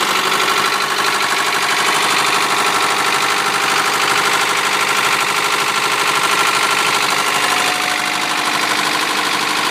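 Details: 1993 Honda Prelude H23A1 running: harsh, rapid ticking-knocking clatter steady about three per second; owner unsure of the cause.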